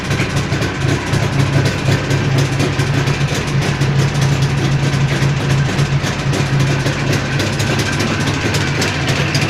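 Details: Jawa 638 two-stroke under build with a tired cylinder-piston group at idle: fast steady ticking and knocking over a busy idle; crankshaft bearing knock and loose rattling chain.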